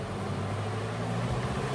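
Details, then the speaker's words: Costway Giantex spin dryer set to 1.5 minutes with damp clothes: steady low motor hum that holds even with no wobble or knocking as the drum spins up; a jittery start would mean off-balance. Balanced, normal start-up. "I want to hold this while it's starting up. Sometimes if it starts jittery, means it's off balance. You'll have to adjust it. Try and make it as level as you can. But there, it's settled down."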